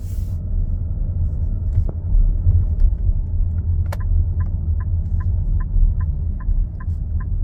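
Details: Nissan X-Trail e-Power: deep steady engine rumble with a faint even tick about two or three times a second; loud, rough, abnormal engine noise, cause unknown.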